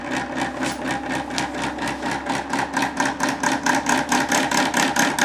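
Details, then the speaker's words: Homemade Bedini magnetic motor prototype (electromagnet, transistor, charging battery) starting up: regular sharp clacks about two per second gradually speeding up as the rotor accelerates; clacks early on, rotor plates not well balanced, electromagnet about 2.5 mm away. "Et normalement ça part, ça devrait accélérer, ça claque un peu au début. On l'entend au bruit, hein, que ça accélère doucement, mais ça y"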